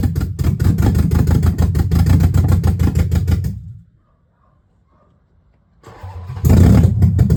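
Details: Dodge Magnum with a rebuilt/swapped Hemi V8, cold, exhaust not yet connected, only O2 sensor codes left: loud open V8 pulses with a choppy beat, dies, restarts and revs unevenly; rough running, owner suspects the missing exhaust, unconfirmed.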